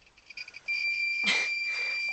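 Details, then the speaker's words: A thin, high-pitched electronic beep coming from the tour vehicle's driver's cab through bursts of rustling. It seems unrelated to the vehicle yet comes from it; the source is unknown. "Something in the driver's cab has started beeping. We can't work out what it is cuz it's nothing to do with the vehicle, but it's coming from the vehicle, if that makes sense."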